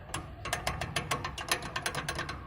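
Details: BMW X6 brought in for rattle noise from front of engine exhaust side: dry, uneven metallic clicking, about five a second, as the removed worn turbocharger is turned by hand; turbo replaced, DPF cleaned.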